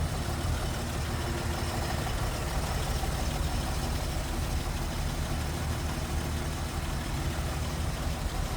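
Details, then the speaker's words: 1950 Plymouth Deluxe sedan, single-carb inline six, 12-volt system, heard with hood open: low, steady, even idle with no knocks, misses or ticks; quiet, smooth, normal. "quiet, pretty smooth."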